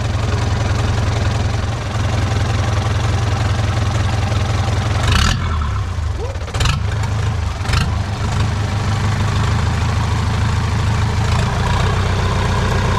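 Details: Boat engine after starter motor failed to engage and earlier smoke (alternator possibly toasted): engine fires and settles into a steady low idle with even rhythm and no knocks; runs healthy.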